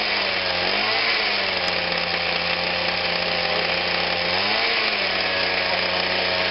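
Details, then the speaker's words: Atlas Copco Cobra TT pull-start breaker after throttle cable replacement: high, steady buzzing drone with two brief dips; engine running too fast and needing throttle adjustment. "right just need to adjust it up a little bit and the way should go sounds like we finally got home on out but it sounds like it's very fast of what it is"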